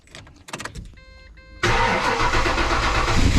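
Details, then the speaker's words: Ford Falcon AU XR8 with electric brake vacuum pump now connected: steady electric pump hum, then engine starts and settles to idle; pump working very well. "okay let me put them on beautiful work very well okay okay it's worked very well"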